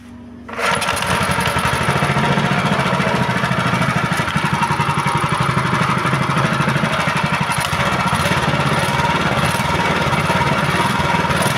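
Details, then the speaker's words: GX160/200 petrol engine after governor adjustment, previously revving high on its own: starts right away and holds an even, steady beat, throttle returns by itself with no surging; normal idle. "Nah, jadi setelah kita coba setel, jadi kalau kita gas itu dia gasnya mundur sendiri ya, tidak langsung naik sendiri dia seperti sebelumnya."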